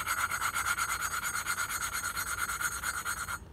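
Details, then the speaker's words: Harbor Freight Predator 212 Hemi, valve hand-lapped: even gritty back-and-forth rasp about two strokes a second, growing quieter and less abrasive as the seat forms. "now you can hear the grinding getting a little quieter and I can also feel it it's definitely not as it doesn't feel as abrasive as before"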